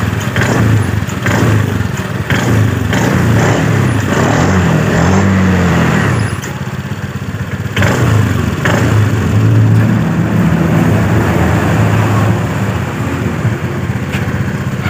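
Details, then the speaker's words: 2018 Honda Scoopy before repair, throttle snapped at low rpm: an uneven rattling clatter from the CVT area over the low engine note. The rear wheel creeps at idle and the owner reports low power; worn clutch shoes. "jadi lebih tepat suaranya saat RPM bawah saat kita tarik tuas gas sekaligus kita gerak itu ada suara betah jadi ada suara Getaran ini bagian area blok CVT"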